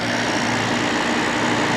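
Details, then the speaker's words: December 1995 Carrier VisionAire 6050 BTU 6 A window A/C, rear fan freshly oiled, just started and not yet cooling: steady mains hum under fan whoosh, even and unbroken; normal compressor running. "fan in the back seems happier now that it's oiled certainly does pressure's just buzzing along doing its thing"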